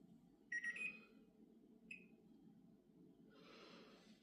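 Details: Bosch microwave beeping endlessly: high electronic beeps keep sounding over a low room hum with no sign of stopping.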